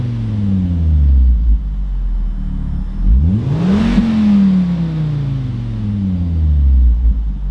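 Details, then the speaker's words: Volvo V50 T5, fully warmed up after a cold start, with the temperature gauge risen. Smooth revving through the range with an even note; the earlier exhaust manifold squeal is completely gone at any RPM. "at this point that sound is completely gone absolutely no squeal at any RPM going forward"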